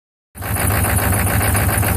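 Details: 1995 Chevy 6.5 turbo diesel idling with a lumpy, uneven pulse in the low clatter instead of a steady beat; rough idle, cause unknown.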